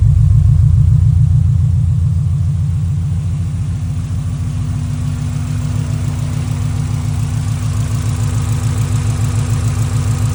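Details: Subaru Impreza GF wagon, in a clip about an ignition coil arc/misfire and coil replacement. Steady, even low idle with a smooth regular pulse and no stumble; the engine runs cleanly.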